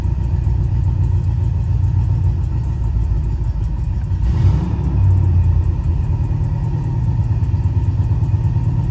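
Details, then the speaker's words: Cutlass after brake work still idles a little rough, lumpy with faint uneven ticking over a low rumble; owner suspects a loose part and a bad motor mount, as it hammers when put in gear. "still runs a little rough too so that's another issue that we're working on with this car trying to get everything figured"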